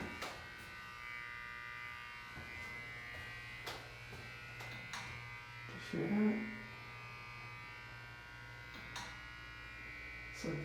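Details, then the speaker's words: Otis hydraulic elevator, installed circa 1992, Series 1 fixtures, recorded inside the car: sharp, irregular clicks every few seconds over a faint hum, even while idle; possibly a relay behind the operating panel or on the cartop, cause unconfirmed. "like there's a relay or something clicking."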